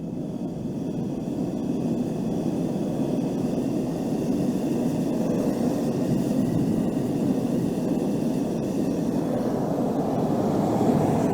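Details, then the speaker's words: Gas forge burner raised from low sputtering, with its steady rushing roar growing louder and brighter as more gas pressure draws more air down the tube; normal burner sound from turbulence. "as we increase the gas pressure it's going to suck more atmosphere down that tube and it's going to get louder and louder"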